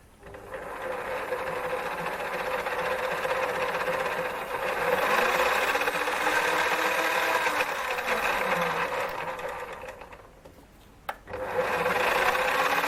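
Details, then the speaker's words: Lathe that had started screaming, now reassembled after a motor inspection (plenty of brush, clean commutator) and belt tensioning: even mechanical whirr with a light regular patter and no grinding or clunks, running normally. "so well i'm back in business again"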